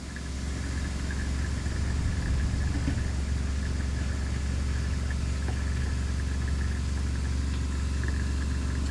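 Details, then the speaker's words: 2021 Aspen Trail LE 1950BH RV water pump during de-winterization, drawing through the tank: steady low drone with an uneven strained hum, like a marble pushed through the lines, as trapped air is purged; the pump later made pressure. "but you can kind of hear it almost sounds like you're trying to push a bear a bulb uh what do you call a ball bearing or uh a marble through the system but it's getting there there's still a lot of air in there"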